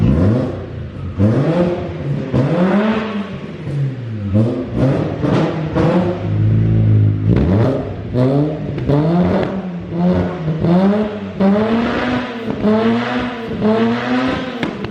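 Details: 13B rotary engine in E36 ute, first start after new custom exhaust fabrication: fires up and revs freely, pitch sweeping smoothly up and down, no misfire or knock; normal idle and revs.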